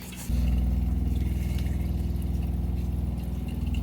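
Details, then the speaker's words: Sun-Lite 16BH camper water pump filling a newly replaced hot water tank with new PEX push-to-connect fittings. Steady low pulsing hum about four beats a second, even and unbroken, until the pump shuts off at pressure; normal operation, no leaks. "Tank's filling up no leaks here no leaks here looks pretty good to me no leaks no leaks pump shut off water's pressurized"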